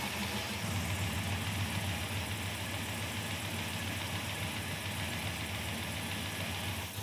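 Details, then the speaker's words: 1940 Chevrolet Coupe gasser, off the road about 40 years, started with new radiator, fuel and water added, fuel pump working; steady even idle, smooth low hum, no death rattle or knock: normal idle. "Fuel pump work. Let me make that a little happier. I don't hear the death rattle yet."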